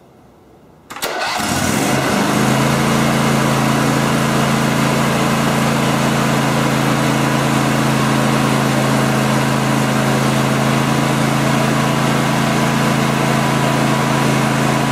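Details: John Deere LX 288 riding mower with swapped used engine and new fuel pump, deck and belts refitted: engine catches after about a second and settles into a steady, even drone with no misses or knocks, charging checked; normal running.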